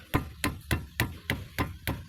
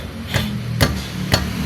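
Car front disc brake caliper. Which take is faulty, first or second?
second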